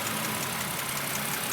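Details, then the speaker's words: 2006 BMW 330i petrol engine, warm after about 30 minutes running, idling with a light quick ticking over a hissy, busy top end. "and you can hear the ticking noise so um just just doing my documentation here"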